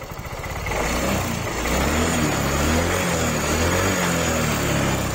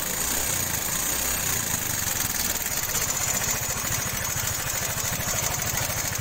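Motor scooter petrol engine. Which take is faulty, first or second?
second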